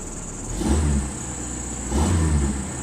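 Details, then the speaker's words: 1990 Dodge Omni, four-cylinder automatic, revived after sitting on an Iowa farm, with new parts: fires right up, idles with low steady rumble and takes two throttle blips cleanly; runs healthy and even. "i love that this thing just fires right up"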